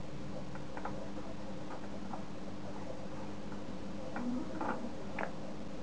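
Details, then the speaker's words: Homemade Geiger counter built from an internet schematic, on first power-up at 15 V. Scattered sharp ticks come at irregular gaps of roughly one a second over a faint steady hum. Counts are infrequent and temperamental, but the counter is detecting normally. "infrequent this is very temperamental"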